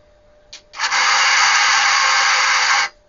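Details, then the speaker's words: Dactron Auto STAC ST1000W 1 kVA servo-controlled AC voltage regulator from 1990: after the input is changed, a brief hiss and about two seconds of steady high whirring as the servo motor corrects the voltage, then stops cleanly; the output holds 220 V and 110 V. Normal servo regulator adjustment. "every time I change the voltage I can hear the Shero doing something but I wonder how fast it will adjust"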